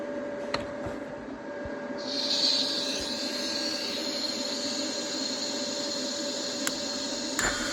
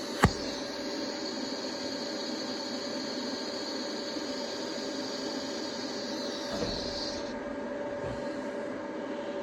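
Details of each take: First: Broken cast iron block plane, TIG-welded with Easy Weld no-preheat filler: after the welding hiss stops, a few sharp ticks from the cooling cast iron after much heat input; welder suspects it cracked. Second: TIG welding cast iron block plane with Easy Weld no-preheat filler, after regrinding a dipped tungsten: even arc hiss with constant high buzz, no crackle or sputter; smooth arc, sounded better.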